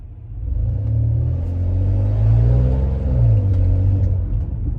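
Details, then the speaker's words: 2005 Lexus RX330 with a sudden exhaust leak: deep, raspy rumble that swells each time it is floored, with some power loss, check engine and VSC lights on. "as you can hear it it is the exhaust leak just came out of nowhere and every time I floor it you can hear this really bad exhaust leak"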